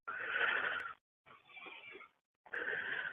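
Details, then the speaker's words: CNC machine drive being tensioned until the stepper motor skips, then backed off to just before skipping: three short whining motor bursts, the middle rough and stuttering as the stepper skips steps against the over-tightened drive. "And tension it until you hear the motor skip. Like that. And do it again till just before the motor skips."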